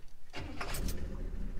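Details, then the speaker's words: All-original 1965 Chevrolet Impala with an unrebuilt 327 V8, Powerglide automatic and a fresh tune-up, started after about 15 years off the road: catches almost instantly and settles into a smooth, quiet idle with exhaust rumble and no blow-by. "fires right up it's very quiet no blow-by i hope you guys can hear the exhaust rumble that's how good this thing sounds"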